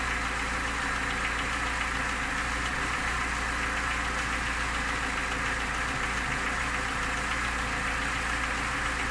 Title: Стук мотора Нива.что это?